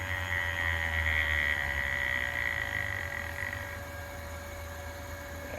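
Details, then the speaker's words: Carrier ECM motor run on a VFD at about 180 Hz: high, steady singing whine, then a dull electrical buzz with the shaft stopped; motor lost sync. "Oh, lost sync. And goes a bigger motor. Hear it, hear it, hear it. It's not spinning. You can hear it. It's going to catch up."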